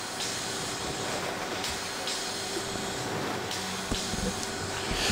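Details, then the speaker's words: Pulsair PETM 2002 W portable pulse air mixer in a 12-tonne wine ferment, Barossa Valley vintage, other winery equipment audible; valve cycling gives long slow one-second hisses delivered via stainless tube about 300 mm off tank bottom, normal operation. "ptm it's a long slow hissing sound lasting about a second this is the sound of the pulse being delivered through the tubing to a spot in the tank around 300 mil off the bottom"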